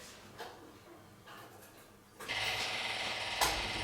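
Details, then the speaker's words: Classic Mini electric fuel pump priming before start: rapid light clicking about three a second before the engine catches; usual chatter of this pump type, normal fuel pump ticking. "that's the pump. It's a faucet pump, that's why you're hearing the noise."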